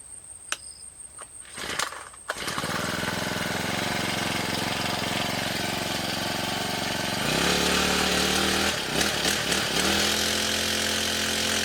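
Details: Two-stroke grass cutter after fixing vibration under throttle by removing wood debris from the blade seat and reseating and tightening the blade; steady high buzz picking up smoothly to a higher even pitch with no shake or rattle; running normally.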